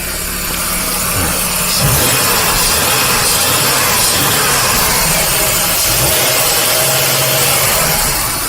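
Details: 2001 Ford Taurus 3.0 at 132,000 miles, after a transmission repair: steady, even idle with a smooth low hum, no knocks or misses, no check engine lights. The owner notes a humming fuel pump noise and may replace it. Normal idle.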